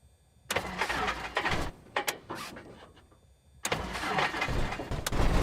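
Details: Cessna 172 hard start: several bursts of cranking with sputters and sharp backfire pops before the engine finally catches and roars up.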